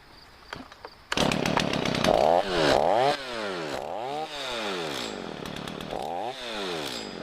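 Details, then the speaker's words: Inexpensive chainsaw-mounted rotary carving gouge for bowl making revs up and down cleanly through repeated throttle sweeps with no loose metallic rattle; running properly. "I I'm kind of happy with it I for what 70 bucks 65 70 bucks that's not a bad deal for that thing um and I already feel like it's going to it's going to massively speed up the one thing that I wanted to get it for which is Bowl making"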